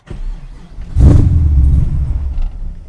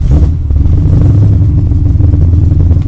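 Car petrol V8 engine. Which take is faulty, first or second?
first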